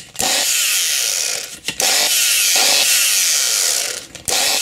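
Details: 850 W angle grinder, gearbox removed, burnt armature fitted and run directly off mains: high whine runs unevenly, sagging and dropping out twice in five seconds; armature winding fault makes it run rough.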